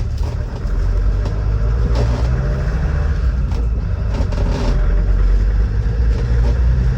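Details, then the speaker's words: Restored 2003 Land Rover Defender 90 TD5 diesel, about 87,000 miles, pulling away in reverse: deep steady rumble, clean at low speed; starts on the button, no misfiring, hesitancy or overheating. "Starts on the button. There's no signs of any misfiring, hesitancy or overheating."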